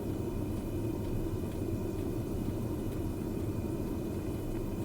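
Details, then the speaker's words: Diesel parking heater in a Chausson V594 Max camper van, recorded outside about one metre from the heater's vent, running after start-up: steady low rumble with soft even hiss, no knocks or surging; normal and quiet. "il ne fait nul doute que au niveau du démarrage cela produit plus de bruit pas non plus dans des proportions inacceptables ce n'est pas le bruit d'une tronçonneuse un bien évidemment on en est même extrêmement loin"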